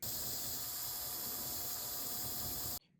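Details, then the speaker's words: Restored Tyco Mantua Alco C430 HO-scale model diesel locomotive motor after synthetic oil fixed an earlier squeak: steady even hiss and faint whir, no squeak, then stops; smooth quiet running. "did have to put some synthetic oil because if you listen to this video it was squeaking after I put the oil it was much"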